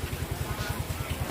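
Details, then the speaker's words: Yamaha Mio M3 125 engine after replacing worn parts including valve stem seals: steady even putter about ten pulses a second, no rattle or harshness in the valvetrain; smooth normal idle, harsh noise gone. "setelah kita ganti alat yang tadi spora motornya pun itu enggak kasar lagi seperti yang tadi"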